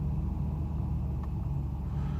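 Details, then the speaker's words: Mercedes 600SL V12, cold start at 40°F after sitting overnight, after throttle installation and MAF and lower harness wiring repairs: deep steady low rumble with slight unevenness as it tries to catch its idle; unstable cold-start idle, cause unknown. "so this is the cold start tries to catch its idle"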